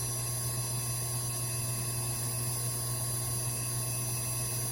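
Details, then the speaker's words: Carrier inverter AC compressor driven by its PCB in a bench test, speed ramping from about 125 to 180 Hz at roughly 143 V: a smooth low hum with a steady high whine, no knocking or surging. Normal operation. "இப்போ speed increase ஆகுது. இப்போ speed increase ஆக ஆரம்பிச்சிச்சு."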